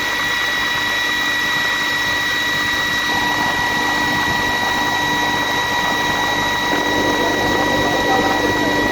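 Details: Atlas Copco GA15 air compressor with steady hum and a thin constant high tone throughout; abnormal sound attributed to a drive belt issue.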